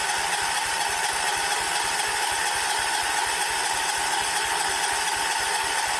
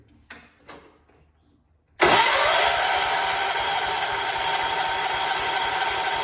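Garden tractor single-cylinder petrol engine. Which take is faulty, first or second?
first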